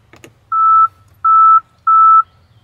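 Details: 2022 Tesla Model X, pressing the interior Falcon Wing door button while the UI warns the door needs recalibration: three evenly spaced mid-pitched beeps and the door doesn't open; door calibration required alert.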